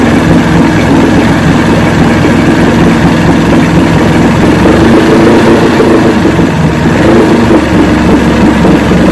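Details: 1970 85hp Evinrude two-stroke outboard with hydroelectric shift, 50 years old, new water pump impeller, idling in neutral in a water container: loud steady even burble, no surging or misses; carburetors judged good at idle.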